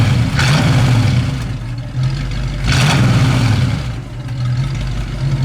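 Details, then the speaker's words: Original 289 4bbl A-code V8 in 1965 Ford Mustang coupe, automatic, dual exhaust, about 93,600 miles; deep even burble revved with a couple of blips then settling to steady idle, sounding healthy and smooth. "Dalton will kind of work his way around, and we'll rev the car up a little bit so you can hear what this dual exhaust sounds like."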